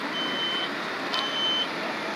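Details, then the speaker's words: Fire department sprinkler demonstration room fire: piercing high-pitched tone around three kilohertz chirping on and off over a roaring room fire; smoke alarm sounding, starting the roughly 30-second escape timer. "I didn't need to see the smoke but I can hear that smoke alarm going off that gives you your timer"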